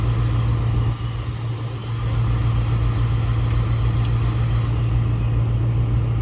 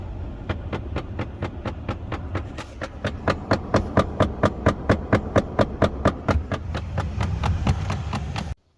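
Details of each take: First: 2005-2009 Mustang after replacing both blend door actuators: only a steady low idle hum and even airflow, no clicking behind the dash; normal blend door actuator operation. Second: 2005-2009 Ford Mustang: steady sharp clicking, about two a second, from behind the dash near the glove box; failing HVAC blend door actuator, about to be replaced.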